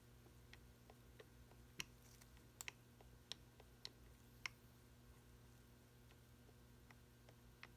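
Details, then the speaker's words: Mercedes 190SL Solex carburetor, second barrel: faint irregular clicks as throttle lever is rocked by hand; worn butterfly shaft with excess play in the body. "we have excess shaft wear in the body and I'm going to see if I can see if you can see the movement here and hear it hear that clicking"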